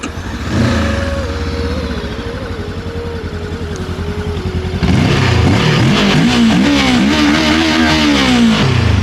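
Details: 2025 VOGE DS525X 494cc twin-cylinder fuel-injected Euro 5 motorcycle: catches and settles into an even idle, then throttle blips rise and fall cleanly with no knocks or rattles; healthy engine.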